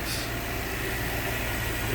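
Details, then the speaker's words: Lexus LX470 V8 cold start, shifted into reverse where cracked or leaking exhaust manifolds tick worse: steady, even idle with a low smooth hum and absolutely no ticking; manifolds sound sealed. "what you want to hear absolutely zero tick going on at all on this uh"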